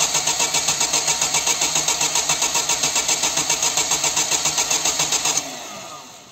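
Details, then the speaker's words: Chevy (Corsa) 1.6 engine after timing belt replacement, injectors and coil disconnected, cranking only: even starter beat of nearly four pulses a second with regular pauses showing good compression on all cylinders; normal cranking compression. "y esas pequeñas pausas que se escuchan cuando gira el motor cuando no arranca me están diciendo que si existe compresión en el motor"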